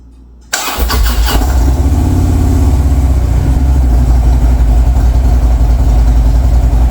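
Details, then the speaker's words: 2014 Harley-Davidson Street Glide after rear lower rocker box gasket replacement for an oil leak: catches right away, steady even idle, smooth low thump, no ticking; sounds perfect, leak gone. "so i shut it off turned it back on again sounded perfect the next morning i took it out for a 40-mile ride it runs beautifully"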